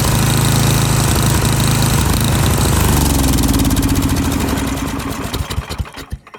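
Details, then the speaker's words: Snowblower engine with the carburetor main mixture adjuster threaded in: it runs strongly, then its beat slows and hunts until it dies. Fuel-starved lean surge and stall. "So you can hear there that I threaded it in until the point where the engine just completely shut off because it didn't have enough fuel to stay running."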